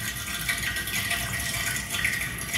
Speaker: you can hear the water running through the radiator now it's just starting up that noise stays all the time only stops when the boiler stops